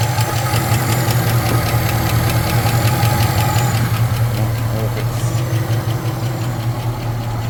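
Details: Supercharged 2008 Chevy Tahoe LS V8 before repair, noise began while driving: sharp, even ticking about two to three times a second over the steady engine drone, apparently from one side; a failed valve lifter.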